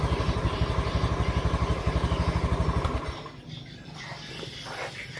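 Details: Honda Beat scooter that only clicked on the starter and would not start with MIL code 52 (CKP sensor), after its wiring was repaired: putters evenly at about four pulses a second for three seconds, then shuts off cleanly; MIL off; normal running.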